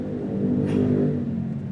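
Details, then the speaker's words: Toyota KF20 (Kijang), serviced earlier for CDI, starter and fuel pump, with old, expired oil in the differential and transmission: steady low drone with a mid hum while revving. Gear/differential wear is suspected, not confirmed, and the drone carries into the cabin and exhaust. "Kalau personiling itu ee biasanya ke kabin mobil itu suaranya ee berdengung ya, berisik gitu ya. Dan biasanya ini di ee bagian ini apa ee knalpot jadi dengung juga ya, berisik juga ya dari knalpot."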